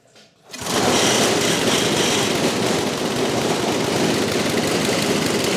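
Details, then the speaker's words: Old Briggs & Stratton 8 HP engine on first run after revival, mounted on a lift that shakes: it fires up and holds a loud, rapid, slightly uneven beat with heavy mounting rattle. It runs but the carburetor is not yet dialed in. "can't hardly hear the thing run our rope's hanging out again go ahead take a look at that but it runs we'll get this baby dialed in and purring along"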